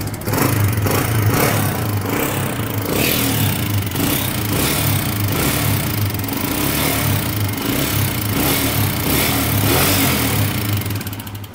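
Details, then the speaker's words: Honda CG125 single-cylinder engine: light, quick ticking over the exhaust beat; tappet free play many times larger than it should be, making the engine much noisier. "सबसे पहले आप यहां पे देखें इस टपट के अंदर जो है फ्री प्ले जरूरत से कई गुना ज्यादा है जो कि नहीं होनी चाहिए जिसकी वजह से इंजन में आवाज जो है वो बहुत ज्यादा बढ़ गई थी"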